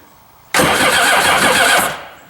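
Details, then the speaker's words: STX-12F jet ski under restoration, fuel tank empty and sensor/pump removed: brisk even starter whir just over a second, spinning freely without catching; healthy starter cranking. "an engine trying to crank alright so that's a good deal good good deal"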